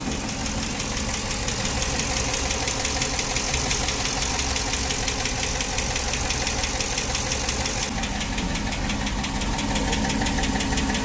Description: Jeep wrangler 392 knocking noise from engine due to collapsed hydraulic valve lifter.